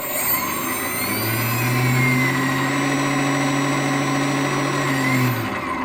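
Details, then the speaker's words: New 4250 560 kV motor received from China with a damaged package: spins up to a steady tone with a rough, buzzy rattle; very bad sound, owner suspects damaged ball bearings. "you hear the the the sound is not not okay very very bad sound it look likes uh the bearings ball bearings are damaged here"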